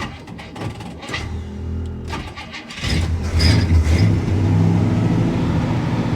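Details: 1965 Cadillac V8, first start after repairing a fuel-related breakdown (fuel smell), pumped so the carb fuel gets it going: uneven cranking and sputters, then a steady, even rumble. It keeps running, either on fuel left in the carb or because the fuel pump picked up fuel quickly.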